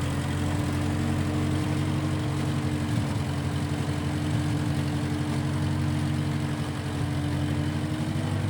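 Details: 1955 Massey Ferguson MF65 tractor, in family 30+ years, restarted after sitting a couple years; carb cleaned, Marvel Schebler carb may need slight dialing in. Steady low-pitched, smooth unbroken beat, no knocks or stumbles; normal running.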